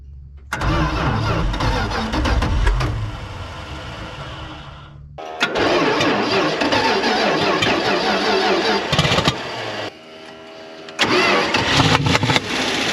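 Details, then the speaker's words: 1976 Dodge D600, small-block V8 (maybe 318), off the road since 2000, after carburetor cleaning: repeated cranking bursts that catch, stumble, die and catch again; dirt, likely mud daubers, in the intake blew back out. "holy crap it had something in the intake it blew it back out of my face yes I think it was mud daubers in the intake"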